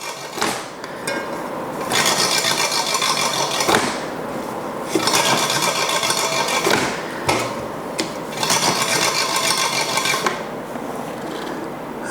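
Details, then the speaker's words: Giant Propel SL1 road bike, front wheel spun after fitting a 160 mm disc rotor taken from another bike; scraping, rattly swish with a rub on each turn, fading as it slows. Disc brake rotor rubbing the caliper. "And that sounds like a bag of spanners. All right, so front brake is that one. Do a couple of spins."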